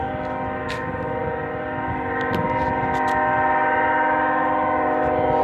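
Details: Union Pacific locomotive air horn stuck on for about five hours, recorded while walking toward the tracks: continuous unbroken horn chord at steady pitch, growing louder; horn stuck on.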